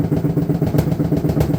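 Rapid, heavy rhythmic thudding with a low rumbling drone underneath, like a drum banging hard each turn; cause not clear.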